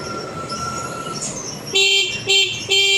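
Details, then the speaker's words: Early carbureted Honda Beat after repairing broken ignition switch wire: light engine hum then three clear even horn toots; horn works and engine starts easily, fault fixed. "Nah ya, hidup dengan mudah. Masalahnya cuma di kabel kontak yang terputus sehingga mesinnya nggak bisa hidup."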